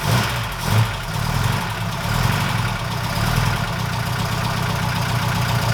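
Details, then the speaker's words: 1969 Ford Capri with Pinto engine at steady idle, before fitting new camshaft finger followers: light, fast tapping over the engine note from worn cam followers chattering on the cam; valve train tapping. "Alright chaps, this is just a before for the sound again, so I can hear what it sounds like after the new followers have been fitted."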